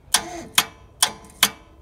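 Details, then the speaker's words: Mitsubishi Electric 24 V forklift after reviving the dead battery and cleaning corroded plugs: crisp contactor relay clicks about half a second apart, one at forward, a second at full forward, working normally. "so when you press forward you'll hear one click and when i press it press the lever all the way forward you hear a second relay clicking in"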